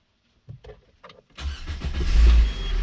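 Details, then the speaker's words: Peugeot with the accessory belt removed from a seized air-conditioning compressor: a quick crank and the engine catches cleanly, settling into a steady low rumble with no drag or clatter; normal engine start. "o carro liga normal que que aconteceu né"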